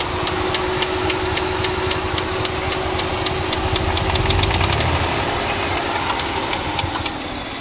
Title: 2005 Chrysler Town & County 3.8l engine knocking no misfire display launch x431 running rough